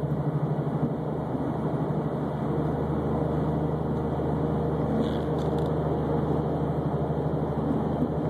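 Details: Subaru Baja at 151,000 miles with press-in wheel bearings, recorded while cruising: steady low drone with a pulsing wah-wah that changes as weight shifts onto the wheel; worn bearing with a flat spot on the race, wheel not loose.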